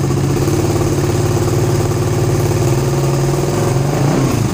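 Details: Suzuki GSX-R150 with NOBI Neo SS racing exhaust, held at about 2000 rpm after the fix for stuttering: smooth, even, quieter exhaust note with no stutter or misses; engine running cleanly.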